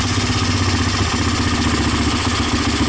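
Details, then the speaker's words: Honda TRX300EX single, formerly seized, idle turned down; steady even idle with no chain rattle or ticking; sounds good, normal idle. "the idol is down yeah it sounds good no timing chain choices no dad's down so I think I think we're all good"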